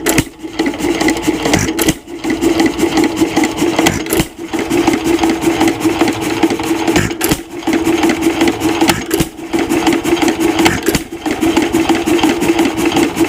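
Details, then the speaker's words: 1926 Nelson Brothers hit-and-miss single-cylinder engine with its governor spring screwed in so the flyweights need more speed: quick, even chuffing with short lulls. Higher governed running speed. "which will mean that the engine has to run faster to make those weights fly out with more Force so I'll go ahead and I'll screw this in and we should hear the engine speed change quite drastically"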